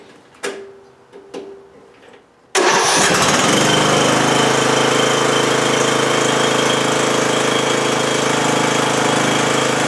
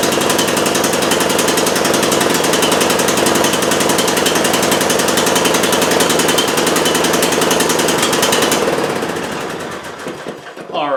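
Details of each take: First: 20-year-old Bolens lawn tractor with a Briggs & Stratton Intek 15.5 hp engine, choke on, after corroded connections were cleaned and a new starter solenoid fitted: a couple of clicks, then it fires at once and runs steadily. Normal start and idle. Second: 20-year-old Bolens lawn tractor, Briggs & Stratton Intek 15.5 hp, after cleaning dirty electrical connections: small engine chatters at a fast, slightly uneven three to four pulses a second, then dies away; running rough.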